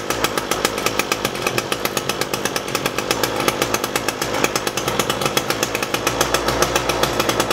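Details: Echo SRM-225 string trimmer after diaphragm and air filter replacement and hidden jet adjustment, final test: crisp, evenly spaced two-stroke firing with steady pitch, no stumbling; normal running.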